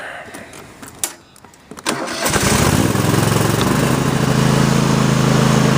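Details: Kohler CV740S V-twin (about 25 hp) on Sears Craftsman tractor 917-275-285, started cold after new engine breather plate and gasket fixed oil leak; a few cranks, catches and settles to smooth steady idle, no misses or knocks, no leakage.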